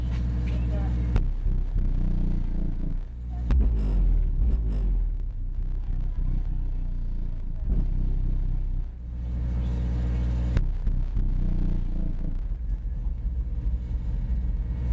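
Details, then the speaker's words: Pioneer GM-DX871 car amplifier on a 1-ohm dyno test with new RCA wires: a heavy low hum throbs and pulsates, swelling as the power is turned up. There is line noise whose source is still unknown. "I don't know if you can hear that hum. It's a horrible hum. There's a lot of noise in the line."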